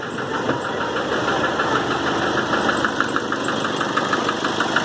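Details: 2008 Nissan Frontier 2.5 diesel, 187,886 km, slow to start: loud even knock near three beats a second at idle, hammering when throttle is blipped and released; burnt head gasket leaking between cylinders.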